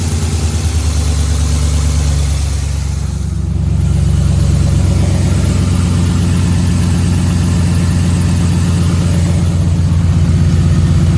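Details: 2011 Ford F-150 5.0 V8 idling with a deep, steady knock pulsing a few times a second beneath the exhaust rumble; rod knock suspected, not confirmed.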